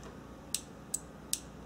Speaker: You hear that? That's a very good sign. That's what we want to look for or hear.